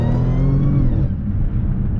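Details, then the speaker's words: Supercharged Audi S4, no proper exhaust fitted yet: revs hard with clear blower whine rising and falling alongside the exhaust note; normal supercharger whine. "needs exhaust still but the blower sounds super good"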